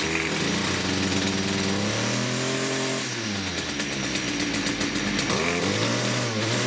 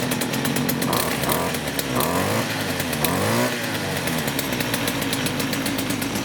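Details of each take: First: STIHL FS56 two-stroke trimmer at idle with a loud, wavering screech seemingly from the clutch area; trimmer head turns at idle when it shouldn't; clutch suspected, not confirmed. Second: STIHL FS56 trimmer after repair of a loud squeal traced to the clutch: small two-stroke idles and blips smoothly, revs rise and fall cleanly, no squeal, head no longer turns at idle; normal running.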